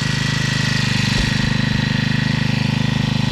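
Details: Honda GX35 clone grass cutter four-stroke after break-in run; smooth, even beat with no misses or rattles, then cuts off cleanly, running healthy.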